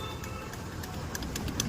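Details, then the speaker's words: Bajaj Pulsar NS motorcycle at key-on: faint light ticks about three or four a second over quiet hiss; the self-starter motor has failed. "பார்த்தீங்கன்னா தெரியும் tick டிக்குன்னு sound வருது இதுல வந்து பார்த்தீங்கன்னா self motor தான் வந்து போயிருக்கு"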